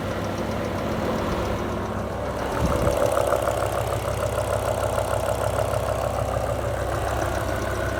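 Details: BMW M5 E60 S85 V10 idles smoothly with a light steady tick about three times a second, starting about 60 miles after rod bearing replacement; owner suspects a lifter; no warning lights and it runs well.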